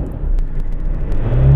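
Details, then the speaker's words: 2008 Ford Ranger 3.0L turbo diesel with an intermittent hard start, long crank and black smoke, heard on a drive: a deep rumble revs smoothly with no misfire or hesitation and plenty of power: normal free revving. "it revs good i don't feel any uh misfire any um hesitation uh it it it feels like it's got plenty of power"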